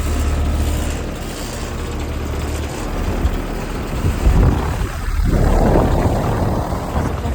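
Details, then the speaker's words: Rheem upstairs heat pump, 2022, 1.5 ton with Emerson scroll compressor, startup: low even hum as the compressor comes on, then a smooth fan rush; suction line getting cold, normal start. "And suction line is getting cold. It's working really good."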